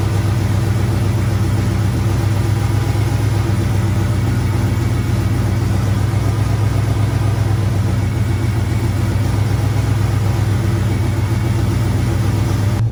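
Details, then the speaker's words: Camaro rebuilt 6.0 V8, first run after rebuild: deep, steady, lumpy big-cam idle, even and strong, 60 psi oil pressure, smoke burning off; healthy and well tuned. "So far, she seems happy as hell. Most of the smoke is kind of burning off."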